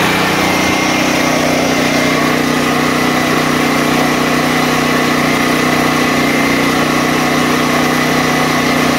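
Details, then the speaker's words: DuroMax XP13000EH hybrid portable generator on gasoline, after bypassing faulty fuel selector switch that starved carburetor and caused surging: even constant drone, no rise and fall, holding speed smoothly once fuel line filled. "so the carburetor was pulling pulling more and more and more until it eventually evened out and it started running pretty much smoothly"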